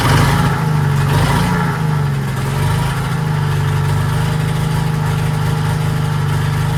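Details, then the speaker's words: 1940s Allis Chalmers D5 or HD5 crawler with 2-stroke Detroit 271 diesel, first run in many years: deep steady drone with a brief lift, then an even idle with no knocks or misses. Motor sounds good; heavy smoke suspected from a problem injector. "right, that thing is a smoker. Motor sounds good. I think that injector that we had problems with is probably causing the smoke."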